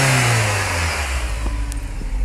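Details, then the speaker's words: 2004 Nissan Altima 2.5 four-cylinder, warmed up a few minutes, with open short-ram intake filter replacing the stock airbox: revs blip up and fall back smoothly toward idle with deep, loud intake roar, no knocks or misses. "that sounds a lot better than compared to stop"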